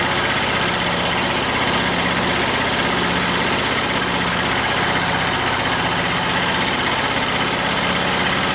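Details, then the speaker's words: Old Detroit Diesel two-stroke four-cylinder dozer idling loud, lumpy and uneven with irregular thumps, during the Bon Ami cleanser honing-while-running trick; two cylinders read zero compression and are dead. "we're gonna jack this guy back in there and uh crank it over on one cylinder but i i doubt the bonami trip is gonna do anything other than put bonami in the oil"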